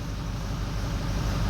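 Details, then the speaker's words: Ford 6.0L Power Stroke diesel at idle during a power balance test, with a new FICM: number 7 injector dropping out, giving a loping, uneven rumble; the whole odd bank 1 (injectors 1, 3, 5, 7) eventually drops out. Rough idle from injector dropping out. "Okay, see that number 7 dropping out? That's not running the greatest, but it's"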